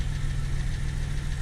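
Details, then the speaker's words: Reinstalled 2000 Camaro 3.8L V6 idling: light regular tick at engine speed over low rumble, heard at the front pulley area, not top, bottom or transmission; persists with belt off, so not accessories; owner suspects crank pulley, unconfirmed. "I don't know I don't hear it coming from the top of the engine I don't hear it coming from the bottom of the engine it's not coming from the transmission it definitely sounds like the front in the pulley section"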